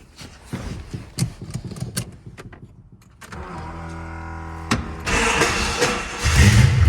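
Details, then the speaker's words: Fox-body Mustang V8 started after the header was refitted, hoping it would be quieter. It revs rough and very loud with a raw, sharp exhaust crackle; the header gasket is suspected blown out, though nothing visible was found. "I seriously think I got to agree with one of the subscribers that said sounds like the header busted completely out"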